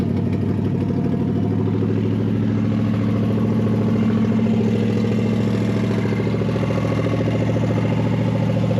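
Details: Barn-find big-block V8, running after fuel was added to the fuel bowl: steady, deep lumpy rumble with no knocks or misses.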